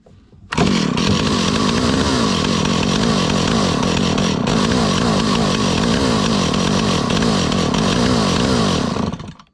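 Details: 43-year-old Stihl 028 Wood Boss chainsaw during repair, idle speed turned up while warming: a raspy two-stroke buzz that hunts unevenly and never settles, running rough and struggling to stay running.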